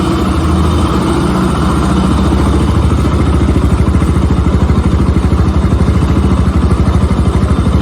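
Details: Bajaj Pulsar RS200 single-cylinder after a tappet noise fix done at home: an even idle thump about three beats a second with no top-end ticking; smooth, quiet valvetrain at idle.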